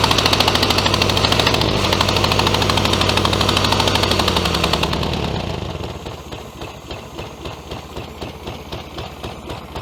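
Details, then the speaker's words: 1966 VW Beetle, first start after 10+ years in junkyard: revs drop to lumpy, uneven idle with hollow missing beat about three per second, low power; one cylinder cold and dead, running on three, plug suspected. "right she's not running on this one here that's the exhaust pipe coming out there and that's cold I can actually hold my hand on the exhaust pipe there"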